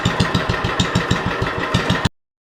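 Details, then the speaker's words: 40-year-old Lincoln Weldanpower 150 genset welder (about 1977–78) with a cast-iron Kohler engine, running after a welding demo: even, regular thumping at about seven beats a second, no misses or knocks. Healthy, steady running. "The old machine is still putting away. Probably run for a while."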